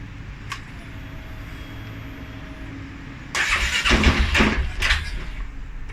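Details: 2011 Polaris Sportsman 550 XP, cold start: hiss, then engine cranks and catches with uneven bursts, stumbling and surging; dealer found TPS, IAC, TMAP in spec, valves, timing, plug, fuel pressure (43 psi) good; startup stumble, cause unknown.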